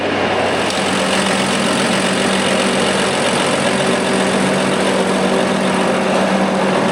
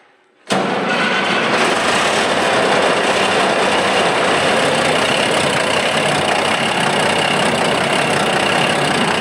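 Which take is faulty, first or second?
first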